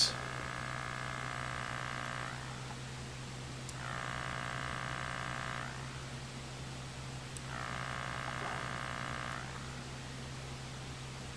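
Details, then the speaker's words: Hand-wound 400 VA toroidal transformer kit, potted in silicone, under about 1.5 A into a 10 ohm load through a crude half-wave rectifier, suspected as the cause. A buzzy hum swells and fades about every four seconds. Hum building up and dying out. "interesting you can hear the the noise build up and then die out again"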